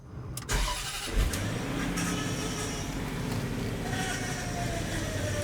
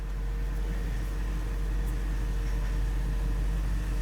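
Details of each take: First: 2007 Range Rover Supercharged (L322) restarted during bleeding after high-pressure power steering hose replacement: engine settles to idle, faint rising whine as wheel turns lock to lock; bubbles still in fluid, air in power steering. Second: 2007 Range Rover Supercharged (L322) at idle after high-pressure power steering hose replacement and bleeding (top up, run, lock to lock): only steady engine hum, no pump whine; power steering now quiet.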